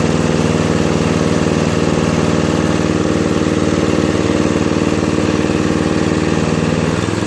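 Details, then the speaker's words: 2001 Murray Select LT riding mower, after carburetor cleaning (float needle stuck open from ethanol, fuel flooding crankcase) and oil change: steady, even putter at a slightly fast idle, still too high with the idle turned all the way down; no misses, knocks or hunting. "lower the idle a little see it's all the way back still running too fast so anyway looks like i fixed it pretty well"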